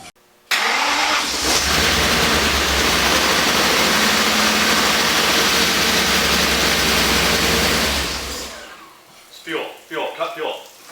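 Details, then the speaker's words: First start after engine reassembly, including wiring harness bolts: the engine cranks, catches and runs loud and steady for about seven seconds, then stalls when the fuel line pops off. "It ran! It runs. And then when the fuel line popped off, it stalled. Yeah, as expected."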